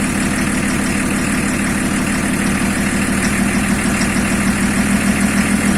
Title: Стук двигателя БМВ е-34